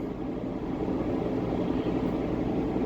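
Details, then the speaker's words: 2009 Saturn Vue driving while swerving so weight shifts left and right; steady low rumbling grind under road noise; sure sign of bad front wheel bearings, to be replaced. "and you notice when we swerve and the weight shifts to the right and the left we get a grinding noise that's a sure fire way to know that you got bad wheel"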